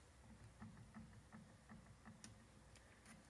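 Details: Saris H3 indoor bike trainer, bought new, opened up, with belt wear and flaked material inside; light, regular clicks two or three per second as the flywheel is rocked by hand, showing movement in the wheel, maybe bearing play; knock, cause unconfirmed.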